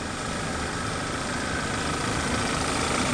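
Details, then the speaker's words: Audi/VW 2.0T freshly rebuilt engine on first startup, P0171: steady high-pitched hiss and faint ringing over an even idle, unchanged throughout; suspected vacuum leak, being isolated via crankcase/PCV hose, not confirmed. "there's a vacuum leak i hear a hissing noise it's kind of a high pitch kind of a high pitch ringing"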